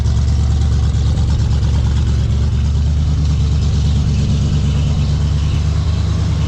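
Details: 1970 Ford Falcon barn find, engine formerly frozen after 29+ years standing, newly fitted Chevy glass-pack exhaust: a deep, throaty, steady idle with no knocks or misses; sounds healthy and happy; radiator leaking.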